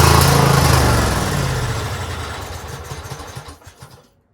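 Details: Craftsman GT6000 garden tractor at 26°F; engine labours and slows, dying over about three seconds when choke opened past half; owner suspects gas left sitting in carburetor all year without fuel shutoff.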